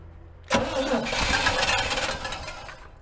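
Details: 1967–72 style Chevy C50 work truck left sitting for years, fed from a temporary fuel source to the pump to push out old gas: sudden rough catch after cranking, then an uneven, sputtering run that fades; hard start after long storage.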